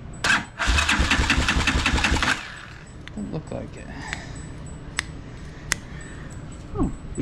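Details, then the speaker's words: Motorcycle in neutral, key on, fuel turned on: a couple of seconds of steady cranking that never catches, then quiet. Cranks but won't start; no fuel comes through unless the line is removed, and a kinked fuel line is suspected. "all right here's the problem the fuel is on but there's no fuel coming through unless I take this line off"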